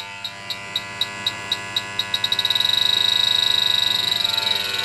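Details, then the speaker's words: HVAC service call for a house not cooling: the refrigerant leak detector's ticks speed up into a steady squeal at the very dirty indoor coil, showing a leak there. The coil is to be replaced; the charge doesn't look too low. "all right we're picking up one refrigerant leak right here"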